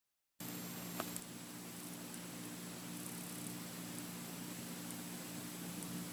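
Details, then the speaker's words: Faint, even hiss with no clicks or buzz from an idle iPhone 6s, recorded with the volume raised. Older iPhones (4s, 5, 6, 6s) all make this normal processor hiss; the iPhone 7 is possibly slightly louder. "cuz as you can see from this test, all the phones make the sound The 7, might sound a little louder than the 6s"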